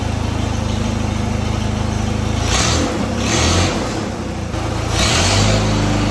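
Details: Engine of a 1956 Air tractor, restarted after coolant top-up during a revival after decades of sitting: a steady, even idle with a slightly lumpy beat; coolant is seen circulating, so the water pump is working.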